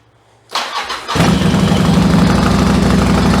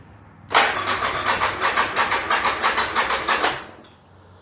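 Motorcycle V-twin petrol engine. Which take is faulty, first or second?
second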